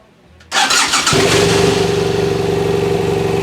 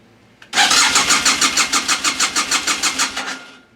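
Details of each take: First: BMW F800 GS brought in with a no-start condition, run on old stale fuel: brief starter whirr, catches within half a second and settles into a steady, even idle with no misses; starts and runs normally. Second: BMW F800 GS in a no-start condition cranking: quick even starter pulses, about six a second for three seconds, never catching; fuel pump heard priming, no injector firing suspected, code check next.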